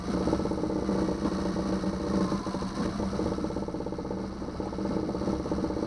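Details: 2009 Yamaha 6 hp four-stroke outboard after no-start troubleshooting: even steady run with light valve clatter, no misses or surging; cooling water shoots far out the back; running normally.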